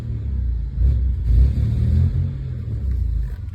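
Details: 2000 Toyota 4Runner 3.4 V6 revving and dropping back with a deep, uneven rumble and irregular stumbling beat; rough running, owner suspects a bad misfire, unconfirmed.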